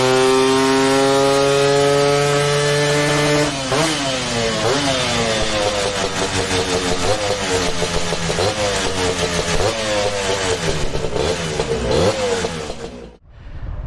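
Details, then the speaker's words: Vintage race-tuned Lambretta two-stroke on the dyno making about 23 hp (standard is 6–10 hp): a sharp tone held high, then rev sweeps rising and falling before cutoff; crisp, strong, healthy, revving high. "That's nice, 23. Rev's quite high, certainly doesn't sound like your typical Lambretta. She's feisty,"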